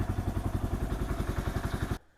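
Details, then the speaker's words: Kawasaki KL 250 single just after top-end rebuild, rings not yet seated: crisp, even thumps about ten per second, no knocking or misses, idling cleanly before shut-off; running good, starts easy, no oil leaks. "Alright, I think it's running good. Everything's doing good on it. Starts easy."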